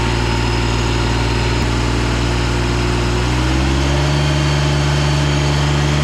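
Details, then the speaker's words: Ransomes Jaguar 4000 diesel commercial mower, 1980s-90s, sat 20-25 years in junkyard, hydraulic cylinder O-rings and seals replaced: steady low diesel clatter, pitch shifts evenly as hydraulics lift the deck under load, then holds; running healthy, no leaks. "all right seems like everything is working pretty good so far"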